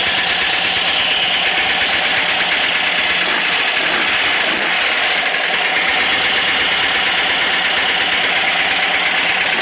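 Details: Engine with a light, rapid ticking knock about three a second over a thin running note; owner says rpm and noise change between raised in the air and on the ground; suspected rod knock, cause unconfirmed.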